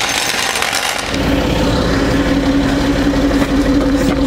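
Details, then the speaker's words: Citroen C6 with engine running, car lifted on three wheels with flat offside rear removed: steady low hum rises over the idle and holds as the hydropneumatic suspension lifts; pump running normally. "oh I can hear this the suspension here reacting it's doing something"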